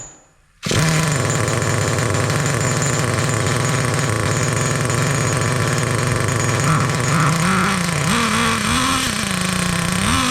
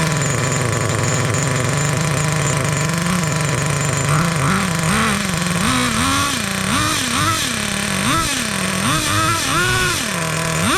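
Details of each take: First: Traxxas T-Maxx nitro engine, sat 17 years, fires and holds a fast, blubbery buzz with surging, wobbling revs and clutch spinning; mixture too rich, dumping fuel, being leaned out. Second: 2002 Traxxas T-Maxx with TRX 2.5 nitro engine, sat 17 years, one-way starter bearing cleaned, mixture leaned after running rich: high buzzy revs rising and falling cleanly; normal running.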